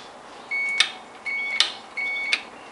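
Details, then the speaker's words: Ignition key switch removed and tested with a multimeter for a fault where the engine cranked in the ON position: three clear high beeps as the key turns to the spring-loaded start position; start contacts close properly, normal. "Now, I should have power to the start when I turn it all the way to where the spring is. I'm in the on position, I'll turn it."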